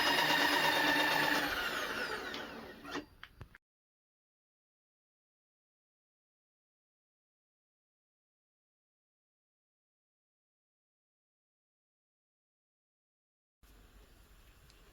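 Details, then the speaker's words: Power feed being installed on a Powermatic Millrite milling machine, gear run without spacer washers: whirring gear tone with a rubbing edge for about three seconds then stops; friction noise from missing washers. "use gear with no washers, create friction and noise, you can hear it."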